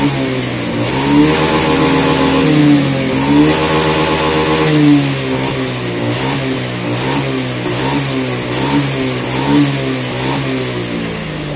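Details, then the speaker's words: Honda Scoopy fuel-injected scooter that hesitated on throttle, after adjusting the TPS sensor position while the engine was running; repeated throttle blips rise and fall cleanly with no stutter or misfire; now revs smoothly. "Scoopy Injeksi ini yang brebet ketika tiga sawah Nah sekarang aman ya tidak ada masalah"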